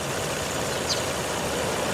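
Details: Car, just about at operating temperature after restart following 11 days sitting and odd cranking (owner suspects flooding): steady, even engine note, no misses, knocks or surging, smooth healthy idle; normal idle.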